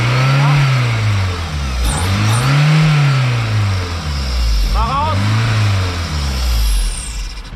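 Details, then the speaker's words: VW 1.6 16v wagon fitted with a modified 1.8T throttle body after the old one failed: starts right away and revs up and down cleanly a few times, settling without stumbling; a turbo-like whistle is heard and an open port still leaks vacuum. "It's got a turbo on it, that whistle. So there's still an open port off there, so the vacuum leak, but it turns right on."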